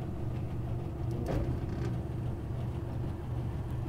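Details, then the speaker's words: Old Trane package HVAC unit, blower motor bumped on. After one brief knock, a low steady hum and rumble holds as the blower motor spins up and runs. "and now let's try bumping the blower motor"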